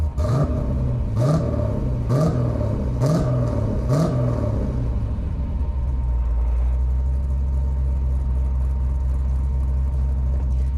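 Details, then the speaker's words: Fresh, not yet broken-in 370 LS V8 in a Chevelle, engine not yet warm (200 thermostat not open), cutouts closed, revved to just under 3,000 rpm: quick clean blips dropping back to a deep even idle. Normal revving. "Sounds great. I'm only going up to a little under 3,000 just because it's a fresh motor, so don't want to be too hard on it before we get it totally broken in."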